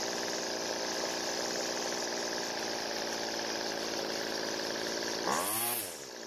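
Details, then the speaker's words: Weed eater trimmer that dies when throttle squeezed, carburettor mixture screw adjusted twice: high buzzy two-stroke note holds steady, engine speed rose after first fuel addition, then sags and drops as second addition makes it too rich. "we able to hear that the engine changed both times when I added fuel the first time the engine speed increased and it ran fine but I added more fuel the second time it actually slowed the engine down"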